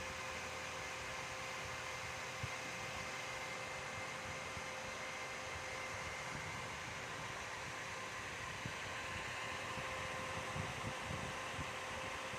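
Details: Dell OptiPlex 3020 desktop: a steady airy roar with a faint constant tone on top; the cooling fan is running loud and hard.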